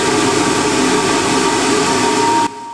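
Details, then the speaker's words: 1980s Ariston by Colston Electronic 3000 spin dryer, auto pump version, spinning during a hose rinse-out of the tub: steady high whistle over an even rushing spin, cutting off sharply; air through the slit in the middle, normal. "Nice whistle you get. All that whistle is, it's the air going through that little slit in the middle."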